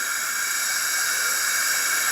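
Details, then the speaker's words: 1984 Craftsman lawn tractor, 40-year-old Briggs & Stratton engine, engine off on a leakdown test: constant airy hiss out the exhaust, about 75 psi in and 5 out, nothing from the breather. Owner suspects a burned exhaust valve, not the head gasket or rings. "I can get about 75 and I got about five on the and it's all coming out the exhaust it's like it's probably a burned exhaust"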